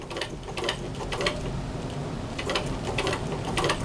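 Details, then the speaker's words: 1923 Singer 15K hand-cranked sewing machine, original spoke-wheel hand crank, fully serviced: light, quick clicking as the crank turns, slightly uneven with hand speed, no grinding; about three stitches per revolution. "about three stitches per revolution so that's three times as efficient as the one that i had"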